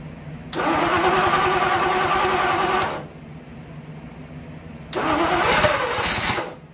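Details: Ford Y-block V8, garage rebuild with a rehone, first start after fixing plug wiring and TDC errors; catches quickly and runs evenly for a few seconds, then restarts just as cleanly, a healthy start and idle though still needing tuning.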